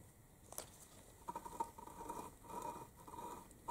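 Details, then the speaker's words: Aprilia RS 125 Tuono Rotax 122 two-stroke engine disassembled, crank turned by hand: quiet gritty scraping in short bursts from worn crankshaft main bearings, judged really bad and to be replaced. "you that this is really bad and this all appearance at least make some noise so ya think our barons will be replaced"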